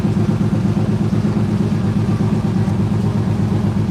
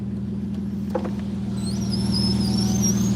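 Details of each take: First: BMW E85 Z4 roadster runs with a steady low beat but an uneven lumpy pulse and a brief stumble; rough running with a slight misfire. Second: BMW E85 Z4 Roadster, stock unmodified engine, running after new fuel pump and initial misfire cleared: steady, even idle hum with consistent low beat, no stumble or knock; normal idle.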